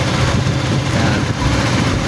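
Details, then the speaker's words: Honda Click 125 scooter, cold start after cam chain tensioner overhaul for a tinny rattling engine: dense steady idle with even beat, tinny rattle gone, engine quiet. "Yan mga kuys, wala na yung tunog lata. Okay na mga kuys. So, tahimik na ang makina."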